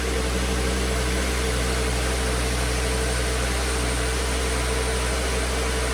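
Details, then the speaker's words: 2009 Volvo S40 T5 AWD R-Design, flood-damaged Copart car, alternator idler pulley had failed, low battery on a charger: low even constant-pitch hum with no ticks, knocks or stumbles; engine idling smoothly. "This is good news. We know that the engine is good. We know that it runs smooth."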